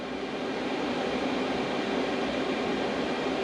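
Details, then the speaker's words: Diesel heater in a Fiat Ducato camper conversion reaching its set temperature and dropping to quiet mode, pump and fan slowing and getting quieter; steady airy fan rush with no rattle, tick or grinding, running smoothly on low. "it's reached its set temperature now i can already hear the fan slowing down it's getting quieter"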